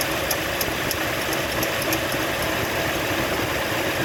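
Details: 2004 Toyota Sequoia V8 at warm idle with a sharp light click about three times a second over a steady hum; owner suspects water pump or idler pulley going bad.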